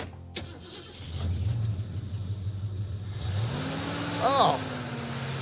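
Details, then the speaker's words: 1969 Mustang 302 V8 that sat over 27 years, started after changing the spark plug wires: it catches, settles into a steady idle, then revs cleanly with no miss; running normally. "that is so much better let's go right"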